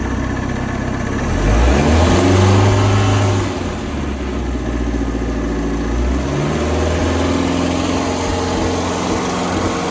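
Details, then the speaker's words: Starcraft boat engine stored six months, with a hot wire run from battery to coil and water hooked up: catches, revs briefly, then settles into a smooth, steady low idle with water flowing out. Normal idle. "see water coming out right here in this area it's a running very well as a very good Idol"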